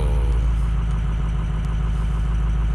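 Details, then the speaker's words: Rebuilt 6.0 diesel truck idling cold and left to warm up. Steady, even, low smooth rumble with no knocking or ticking. Normal cold idle; shortly afterwards the owner suspects a FICM problem when it runs unhappy. "so it does sound pretty good I'm gonna let it warm up and get a little temperature here"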